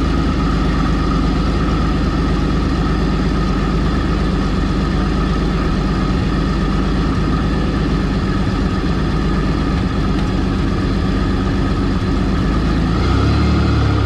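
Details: 1984 Fiero wide body with 3800 V6 swap, after reused header gaskets were replaced and a V-band clamp added: deep, steady, even exhaust note with no puffing or ticking at the manifold; no more exhaust leaks.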